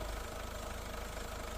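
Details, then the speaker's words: Ford petrol engine idling smoothly and evenly after the wobbling alternator pulley was replaced and belt refitted; no squeal, grind or wobble from the V-belt drive, noise fully resolved. "Şu anda ses sorunumuz düzeldi. Montaj işlemlerini yapıp aracımızı çalıştırdık. Ses olayı tamamen çözüldü."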